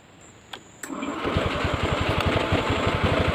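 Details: Honda Scoopy FI 2014 after starter and fuel indicator failure, restarting: a couple of clicks then starter churns sluggishly about four pulses a second without catching; slow cranking, owner suspects low battery.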